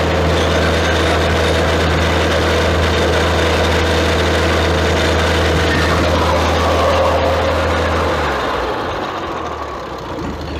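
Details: 1966 International 656 tractor after engine overhaul for a worn-out engine, timed at 2 degrees at idle; steady low idle with an even beat around four a second, then shuts down cleanly — normal idle.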